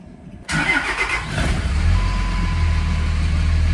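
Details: 2005 Dodge Ram 2500 diesel: extended uneven cranking, then catches and settles into steady low idle after fuel filter change for water-in-fuel warning; filter not pre-filled, owner suspects that slowed the start.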